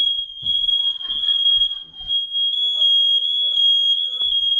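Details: Interconnected home smoke alarms sounding during a monthly walk-around system test: a steady, piercing high tone near 3 kHz sounds unbroken throughout with faint voices behind; the alarm sounds off properly.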